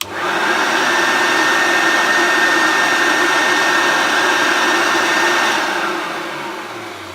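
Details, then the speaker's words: Hoover Turbopower Junior U1100 upright vacuum after strip-down, cleaning and reassembly, motor not modified: loud steady rushing whoosh of much-increased bag airflow with a constant whine, easing off as it spins down; normal healthy running. "amazing absolutely amazing now I can actually the most noise I'm getting is the amount of airflow that is coming out from this bag"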